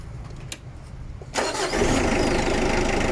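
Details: Mitsubishi Adventure with a hard-starting complaint, after replacing alternator carbon brushes; short quiet lead-in, then the engine catches instantly and settles into a steady, even idle; normal start.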